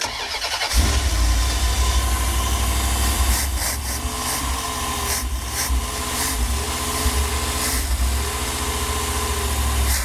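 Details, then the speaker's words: Used Edelbrock 650 carburetor, engine unrun about 6 weeks, no choke hooked up: catches after a brief crank and settles into a steady even idle with no misses or knocks; starts right up, normal idle. "Um, it did start right up, run good, idle good."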